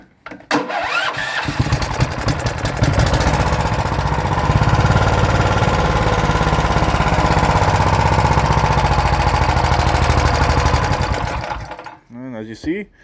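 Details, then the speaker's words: Auction Honda 15HP, unmounted, started with choke: engine catches after cranking, then runs with an uneven, hunting beat about three pulses a second; owner suspects stale fuel in tank, carburetor improving. "I think that fuel that's in the tank is a bit past its prime so that definitely needs to be taken care of drain the tank but the carburetor does seem to be getting better"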